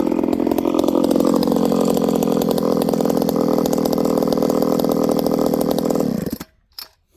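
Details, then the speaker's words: Ported Homelite 922 chainsaw after clutch and fuel line repair and a cooler heat range plug; a high, snarling two-stroke buzz holds revs steadily through a cut in hard wood, then winds down cleanly; healthy, normal cutting. "This stuff's really hard, friends. Like, really hard. You guys can hear it. It's hard in the middle, but again, there are punky spots."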